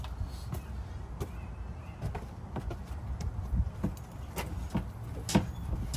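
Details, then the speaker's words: 2003-2008 Honda Pilot after replacing both rear shocks, body rocked by jumping on it: light irregular creaks and ticks over a low rumble, no heavy clunk; the old noise is gone and the faint squeak comes from elsewhere. Normal suspension bounce. "on okay the ugly noise did win away way I can still hear a little squeaking sound but it's not coming from the rear shocks it's coming from somewhere else"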